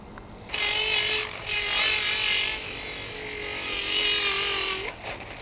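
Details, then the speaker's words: Domestic central-heating circulation pump, seized after 8 months off, freed by removing four bolts and silicone lube, running on speed 2: steady even hum with light whirring hiss, no grinding, much quieter than at first start. "Much harder. Also, I don't know if you can tell, this is much quieter than when we first started it."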